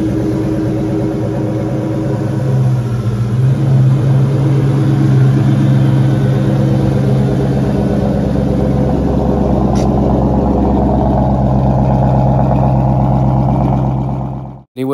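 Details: 2004 Mustang Mach 1 V8 after the clutch fork noise fix, with the pivot ball stud re-secured with Loctite, the fork greased and fluid refilled. Steady, even idle with a smooth low rumble, no chirp, rattle or grind: normal idle.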